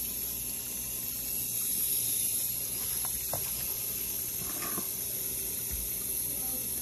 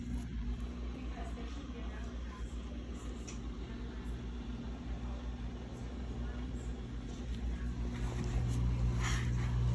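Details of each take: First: GE dishwasher GDP665SYN2FS after replacing stuck pressure sensor, test cycle with bottom cover off: steady hiss of water rushing into the tub with a few light knocks; normal water fill. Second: GE dishwasher GDP665SYN2FS stuck in drain, not washing: low steady drain pump hum that never cycles off and slowly gets louder; pump runs continuously because the pressure sensor that reads tub water level is stuck.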